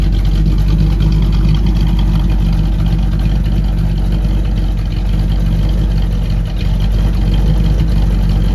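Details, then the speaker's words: Newly installed ATK 390 hp 350 small-block Chevy in a 1936 Ford, hydraulic roller cam, block hugger headers, single-chamber Flowmaster mufflers, heard through the exhaust: deep loping idle with slightly uneven cam rhythm and strong exhaust, normal. "Motor's got a hydraulic roller camshaft in it. It's got a nice little lope to it."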